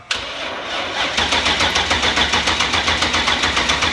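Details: BMW E34 with rebuilt S62 V8, first start after gearbox refit: fuel pump whirs, starter cranks briefly, engine catches and settles into an even steady beat; normal engine start.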